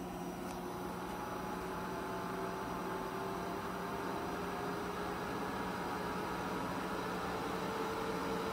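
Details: EG4 6000EX solar inverters in a barn, charging at about 50 amps each (100 amps total): quiet steady electrical hum with a few fixed tones over a soft fan whoosh, no buzzing or rattles; charging normally.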